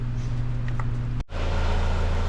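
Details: 2009 Ford Fusion 2.3L idling after the actuator was swapped on its faulty intake manifold, which caused a vacuum leak; no more codes. A steady, even low hum with no stumble or rattle, so normal idle.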